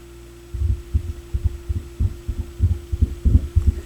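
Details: Sony PS-X70 turntable through a garage stereo: steady low mains hum with irregular low thumps, traced to faulty RCA output cables that were then replaced.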